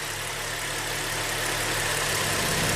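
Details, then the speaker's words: 2008 Suzuki XL7 (GM 3.6L V6), which runs poorly warm with 11 codes and suspected stretched timing chains, at idle with the bank 1 exhaust cam solenoid pin grounded: an uneven low beat as the engine stumbles but keeps running. "Yes, the engine definitely is stumbling and off and runs smoother."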